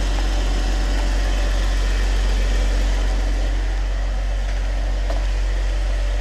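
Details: 2014 Jeep Wrangler JK, 3.6L Pentastar V6, idling after oil pump replacement, no leaks: steady smooth rumble with no knocks, ticks or misses, runs as always; pressure still reads 99 psi warm, P0520 persists, oil pressure sending unit suspected.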